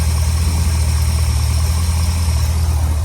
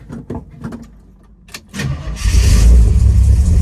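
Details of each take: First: Ford Thunderbird running 40-weight oil, just started on a 70°F spring morning with the choke fully off. Deep, even idle rumble with no stumbles or hunting; it idles clean. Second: Thunderbird on 40-weight oil, cold start on a roughly 70° May morning: after brief cranking it catches into a loud, lumpy, rough rumble; it runs badly with even a barely closed choke from over-choking.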